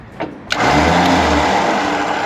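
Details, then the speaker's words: Winch after its burnt-out solenoids were replaced: a sharp solenoid click, then the motor spins up to a steady whir. Before, the button had to be pressed 20–30 times to pass current. Solenoid now operates normally. "you can hear the click in there that's the solar noid firing click click moving back and forwards inside the housing"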